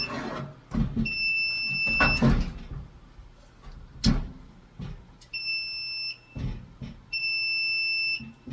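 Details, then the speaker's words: Apartment building fire alarm panel before battery replacement: repeated high, flat beeps of about a second each amid clicks and handling. This is the panel's power-trouble warning from failing backup batteries with a nearly corroded terminal. "So, I think I'm going to replace the batteries. [Music] Power trouble."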